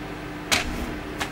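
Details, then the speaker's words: Microwave oven found in trash, after replacing the burnt mica waveguide cover that caused sparking and smoke; control test heating a glass of water for one minute: even constant hum with light clicks, no sparking or crackling; running normally after repair. "вы видите да то есть но ничего не искрит не пылит все хорошо"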